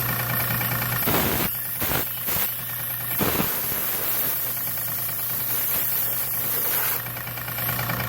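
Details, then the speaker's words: Old air compressor after rewiring, running normally: steady motor hum with low pumping thump, some handling knocks; building toward 100 psi, with an air leak that previously kept it from filling and shutting off. "it's running no sparks now let's see if it gets up to 100 psi first"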